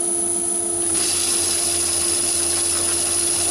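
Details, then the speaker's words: Myford ML7 lathe with 4-inch (100 mm) chuck, deep cut by hand feed: steady even hum with clean cutting hiss, no chatter or vibration, excellent finish; the larger 125 mm chucks chattered. "i can take nice big cuts with that one like you see there that's about 100 pounds and no vibration at all so it's producing an excellent finish even at that depth"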